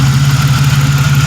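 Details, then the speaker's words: 1997 Pontiac Grand Prix GTP coupe idling before its planned oil change: a low, even idle with a smooth steady pulse and no knocks, ticks or misses; normal, healthy idle. "man it sounds good i am going to end up doing the oil change on itself with my kn filter and that mobile world since i'm driving this and it's good and it's running so at least get me by"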